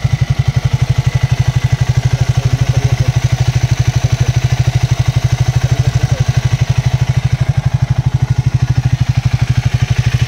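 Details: Triumph Speed 400 single at 7000 km, after its 2nd service. A steady, even thump at idle, about three firings a second, with no tappet tick: a healthy idle.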